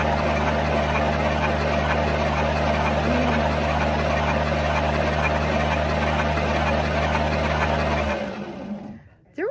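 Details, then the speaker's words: 1963 Studebaker Lark Wagonaire parked 39 years: strong, even cranking at about three and a half beats a second for eight seconds, then stops; normal starter cranking. "I did I did but the starter sounds great you know it does and we were prepared just in case"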